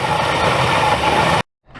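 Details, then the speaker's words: Classic car cold start in cold weather after fitting a better battery: engine settles into a steady, even idle with no knocks or misses before cutting off; normal cold-start idle. "I was half expecting to come out here and just see this whole thing engulfed in flames, but it just needed a better battery."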